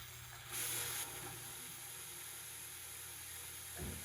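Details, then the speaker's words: 1969 Ford Mustang engine with intake and oil pan installed, oil pump primed counterclockwise by drill with a gauge attached: a short high whine, then a steady drill whir under even load, pressure building to 40 psi and oil reaching the rockers; normal priming. "It's gonna take a minute to fill. Oh, we're building pressure. 40 psi. Oh, I can hear it. Yep, we're coming out the rockers."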